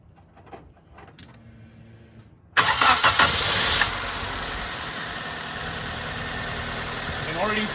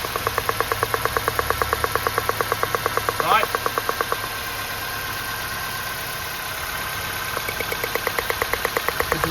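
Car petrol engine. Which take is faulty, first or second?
second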